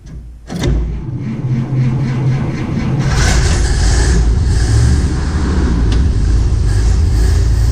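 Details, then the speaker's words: M37 Dodge after a carburetor refresh with a new accelerator pump: the bowl fills with no leaks, the engine runs evenly and picks up cleanly when revved, so the accelerator pump works. "Well, I can hear it filling the foot bowl. No leaks yet. Aha! Accelerator pump works."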